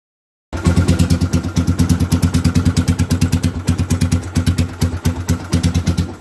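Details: 2007 Suzuki GZ250 after repairing a chafed orange kill-switch wire near the chain that caused power but no crank: small single fires right up and settles into a crisp, steady chuffing idle near three pulses a second; running healthy.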